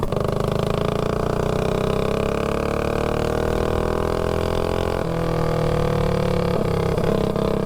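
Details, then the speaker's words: Predator 224-powered GTS mini bike with tuned 26 mm PWK carb on a road run: pulls smoothly, even note climbing and settling under throttle with no stumbling; good mid-range, no off-throttle backfiring, so not lean. "yeah definitely has good mid-range with this car it's really throttle responsive yeah you don't hear a lot of backfiring too when you come off the throttle so it's not really lean"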